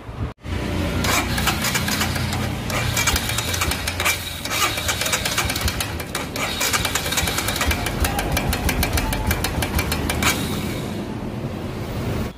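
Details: Royal Enfield Himalayan single-cylinder after cylinder/head reassembly for tick-tick noise, valve clearance set (inlet 0.8, exhaust 0.2 as stated): catches right away, even idle with no loud tick; clearance sounds correct.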